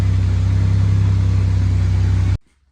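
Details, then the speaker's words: Camaro off road 20 years, running smooth idle after coolant temp sensor replacement; steady even pulse without stumbles before shutoff, engine temperature unknown. "This sounds very smooth"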